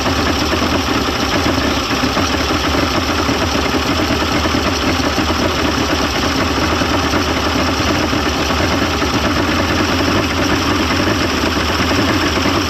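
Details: 1995 Mercury 200hp XR6 Blackmax two-stroke outboard, after timing adjustment and clearing carb jets: even burbling idle with steady rattly beat, no stumbles or misses; runs much better than yesterday, normal idle.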